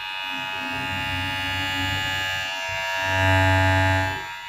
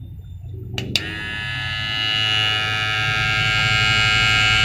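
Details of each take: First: Newly bought Taff ware animal hair clipper (a P6 model is mentioned), used on a moustache and beard: steady high, clean buzzing hum with a slight swell. It sounds very smooth compared with the rougher-sounding clipper it is contrasted with. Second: Hair clipper compared against a Taff ware animal clipper (a P6 model is mentioned), unclear which unit this is: a couple of clicks, then a loud, high buzzing hum that builds and sounds coarse. Described as rougher than the smooth one; cause unknown.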